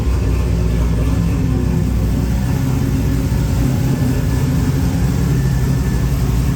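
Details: Engine freshly converted from carburettor to Holley EFI, first start: after the idle screw was turned up a turn or two it fired without throttle (no throttle cable fitted) and holds a steady, even idle with no hunting or stumbles.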